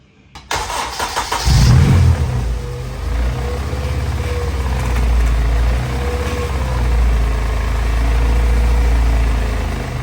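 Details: Honda Civic EG racecar in pre-race checks: engine starts and idles with a faint whine rising and falling as the steering is turned, pointing to the power steering pump. A hose was found resting on the belt with a slit; cause suspected, not confirmed.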